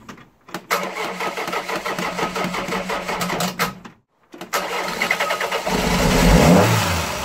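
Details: Ford Fiesta 1.3 OHV engine before valve adjustment: cranks, catches, stalls, restarts; light fast ticking about two per second over idle from tappets with excessive valve clearance.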